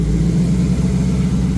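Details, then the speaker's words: 1986 Ford Mustang GT Foxbody V8, first start after build, idling while warming toward operating temp: steady, even low rumble, no knocks or misses; good oil pressure, temps cool, no leaks, running well. "temps are pretty cool. It's running good."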